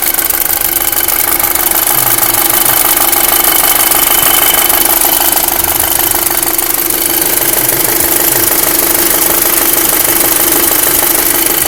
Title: VW 2005 MK5 GTI 2,0 TFSI strange engine noises (zgomot ciudat la motor)